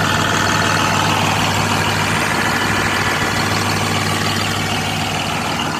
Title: New Holland 5620 CRDI MISFIRING PROBLEM #engine #newholland #automobile